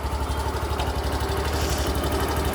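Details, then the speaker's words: Suzuki Access BS6 scooter with a running-off complaint, after an idle air control valve modification that allows idle adjustment: a steady, even low putter at idle with no hunting, surging or misses. "Start ಮಾಡ್ತೀನಿ hiding ಎಲ್ಲಾ ಕರೆಕ್ಟಾಗಿ ಓಕೆನಾ"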